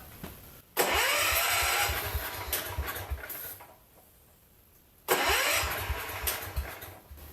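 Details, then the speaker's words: Mid-70s John Deere 110 garden tractor, points smoked earlier by jumping coil negative, now on a real battery with ignition jumped and starting fluid: two crank bursts, single catches and fires unevenly then fades; no knock or rattle, some smoke from oil added to cylinder. "of that sounds pretty good there isn't blowing a big cloud out some of that's the oil I put in the cylinder not knocking or rattling"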